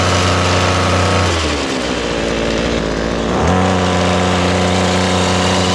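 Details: Ryobi small two-stroke with an attachment just fitted: steady high buzzing run; revs sag briefly for two seconds, then pick straight back up and pull evenly; healthy engine.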